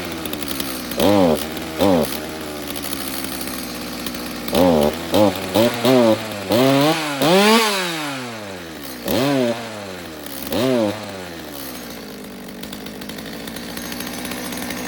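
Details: Stihl MS200T chainsaw after fuel line replacement, warm, no chain: short revving blips rise and sag unevenly over rough idle, sounding fuel-starved; owner suspects low-speed jet needs carb tuning.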